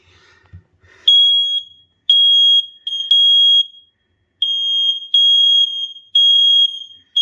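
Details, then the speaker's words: Interconnected smoke alarms after replacing one unit, tested upstairs: shrill high beeps in repeated bursts from several units together; interconnect working, all alarms trigger. "Okay, you can hear them all going off. So now we can sleep well tonight knowing that we're protected against fire, smoke and fire, and now I want to go down and check the basement."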